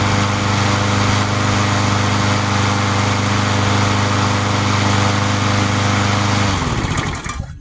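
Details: Free junk mower, restarted about an hour after last run following a replaced part: small single-cylinder engine runs with a steady, even beat at constant pace, then winds down cleanly; sounds healthy.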